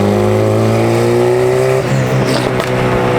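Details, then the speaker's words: Cheap Honda engine in a big-turbo Civic on its first drive, after a wastegate spring change: revs climb cleanly then stumble and break up badly under boost; running too rich, fuel to be pulled from the map. "after changing the wastegate spring i am able to get into boost but it breaks up really bad so i gotta just pull some fuel from the map"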